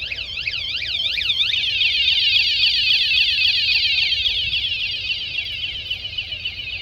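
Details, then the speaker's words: Motorcycle alarm fitted to a 2019 Pelican Catch 130 kayak: after the warning chirp, touching it again within a few seconds sets it off. Loud, high warble sweeping about four times a second. Alarm siren sounding normally. "But if they touch it again within a certain amount, a few seconds, it'll set the alarm off. So that's the warning."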